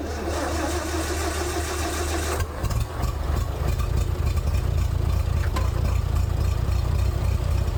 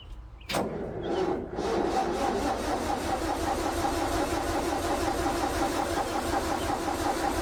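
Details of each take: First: International 434 gas tractor that had sat unused for a long time, with a weak battery being boosted. The starter grinds, then the engine catches and settles into a steady, even low rumble after the governor rod was reconnected to the carburetor. Normal running. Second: International 434 gas tractor that hadn't run in a while, starter wire cleaned and tightened, boosted from a questionable battery, fuel added: starter clunks then cranks briskly with no firing; starter healthy, engine won't start, needs a better boost.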